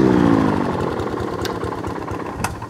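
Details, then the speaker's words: Hayter 48 mower (same as the 41/56), set to full throttle: slow, even chug that stays at idle and never picks up; oil level is high from petrol leaking into the crankcase. "And as you can hear, all the engine is doing is just idling. That's it, it won't do anything else other than that."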